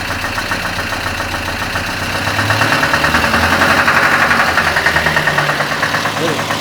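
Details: ZMZ-402 engine with choke on; quiet at idle, but raised to about 2000–2500 rpm a low uneven rumble appears; owner suspects the exhaust, possibly a burnt gasket, or possibly valves or pistons.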